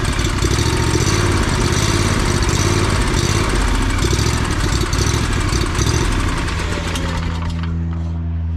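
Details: Lawn mower engine running loud and lumpy with an uneven, stumbling beat before settling; owner suspects a clogged fuel filter causing fuel starvation, though carburettor, governor adjustment or spark plug were also considered.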